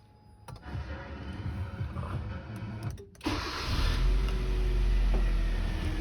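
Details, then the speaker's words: Kia Forte, engine consuming oil with scored cylinders, fully cold start: cranks and catches, then quiet idle with a light, fairly regular tick over it; cause unconfirmed, overbore likely. "Так, цикоток какой-то есть. Вообще автомобиль, двигатель работает тихо, но есть цикоток."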